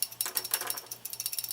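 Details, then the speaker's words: MSR Whisperlite Universal stove shaken by hand: quick light metallic rattle in bursts, about a dozen ticks a second, from the shaker jet's cleaning needle moving freely inside the jet, as intended. "hear that rattling noise? What that is that's a little needle that's inside the jet, and it goes up and down, and it basically cleans out the orifice of the jets."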